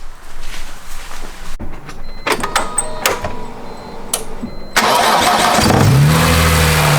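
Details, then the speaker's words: BMW E46 M3 after new spark plugs, ignition coils and valve cover gasket to fix a misfire, and after removing a ratchet left on the crank pulley that had made noise; a few clanks, then it catches at once and idles steadily with no knocks; normal start and idle. "That sounds a lot better without a ratchet."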